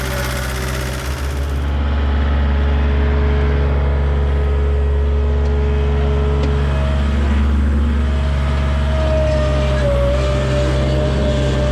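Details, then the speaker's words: Skid loader diesel after shop repair, now running on all four cylinders instead of three: steady, even rumble with no stumble; running healthy. "hey the skid loader works great I'm super happy with how it's running it sounds so different"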